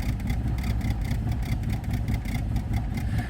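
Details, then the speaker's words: Barn-find 1982 Saab 900 Turbo, first start after sitting: very slow, uneven low chugging around 500 rpm with irregular beats as if a cylinder keeps dropping out; rough idle that may stall in gear. "all right well it does something it Idols like at 500 RPM"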